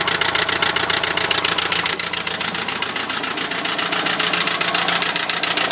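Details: Renault Trafic van, 2.0 dCi M9R diesel at idle: sharp, rapid, even metallic knocking on top of the engine note; owner suspects an injector, cause unconfirmed.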